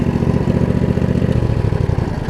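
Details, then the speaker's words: Craftsman riding mower with Briggs V-twin, after blade-engage fix and valve cover reseal, blades re-engaged: quick, even pulses at a steady low idle with no misses, knocks or hunting; idles down fine, owner says it just needs runtime. "I mean it idles down just fine too all right"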